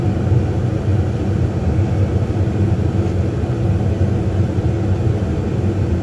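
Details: New Lennox furnace, about one to two months old, inducer draft motor after warranty replacement; the old one was jammed by a piece of rubber: low, even rumble, no rubbing or surging, normal running.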